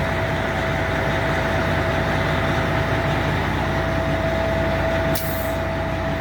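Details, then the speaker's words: Peterbilt 379 truck started up after an oil change service, oil pressure gauge being watched. Steady, deep diesel idle with an even low beat and a faint whistle on top; runs smoothly and sounds healthy. "I'll start it up. There she goes. I always keep my eyes glued to the oil pressure gauge after changing oil."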